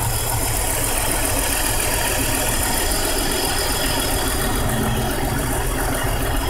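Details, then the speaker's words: 1999 BMW 528i shaking at idle: uneven, lumpy misfiring idle with low shake, rattle and steady hiss. Codes P0301, P0302, P0303, P0305, P0306, P0505, P1510 persist after new plugs, coils, oil pressure regulator, water pump and thermostat and a cleaned idle control valve; cause unknown. "so it's still like shaking I don't know if you guys can hear it or not let us shake it pretty good"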